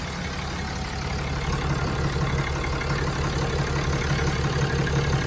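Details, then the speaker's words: Diesel truck at idle after major repairs were completed, run to check for leaks: steady, even diesel clatter with a smooth low rumble, no misses or air leaks heard; sounds good; normal idle. "Everything sounds good."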